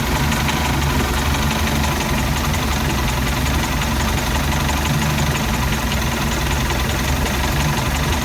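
A heavy, lumpy low rumble at idle with an uneven, stumbling beat under a loud running background; the engine idles rough.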